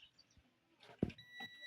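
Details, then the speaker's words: Multimeter in continuity mode for smartphone repair: probe clack then clean steady high beep as the leads touch, buzzer working normally. "Vous voyez que ça fait du bruit. Voyez le multimètre r jaune."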